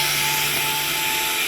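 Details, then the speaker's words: Toyota Camry ASV70R 2.5L 2AR-FE with electronic parking brake, ignition on and switch held to release: a steady, even electric whine from the rear calipers as the parking brake motors retract normally before a pad change. "You can hear the whining noise in the back caliper. You can hear the noise."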